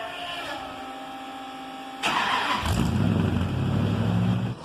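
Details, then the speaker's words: 1972 Dodge truck with Hemi swap and FiTech fuel injection, first drive: quick crank, V8 fires into strong steady idle with smooth rev; later cruising 55 mph at about 1500 rpm, running good; normal start. "we're driving at 55 trucks sounds good running good pulling about 1500 rpms no big deal"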